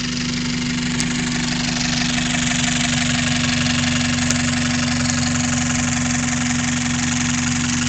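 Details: Toyota 5S-FE engine idling: steady idle with a fast, slightly uneven ticking about three per second over the engine. Source of the odd noise unknown.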